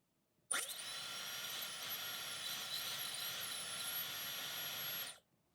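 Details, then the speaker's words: Dyson Supersonic HD03 hairdryer: a high, thin motor whine with a wavering pitch that cuts off abruptly, with a horrible smell and flashing lights at shutdown. Filter is clean; the fan seems to be labouring, cause not yet confirmed. "And then eventually it goes off. Flashing lights goes off. Filter looks fine. So it just seems like it's laboring like the fans just laboring."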